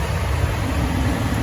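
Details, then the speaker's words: No-heat forced-air furnace call, about four minutes running with supply air at 145°F and climbing: steady low rush of air with no burner roar as burner cuts out and blower runs on; four-flash limit circuit code, limit switch found bad. "but I think at that rate eventually this is going to cut off and uh chamber limits because it's it's it hasn't been running for more than say four minutes"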